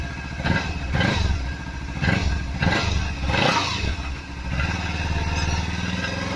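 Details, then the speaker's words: Kawasaki Z300 motorcycle, dealer diagnosed a broken catalytic converter: each throttle blip brings a tinny metallic rattle over the low exhaust note, consistent with the broken catalyst core rattling. "para tirar o catalizador três então eu sei que não é o certo e mais o valor absurdo demais né eu vou ligar ela para mostrar o barulho que tá acontecendo"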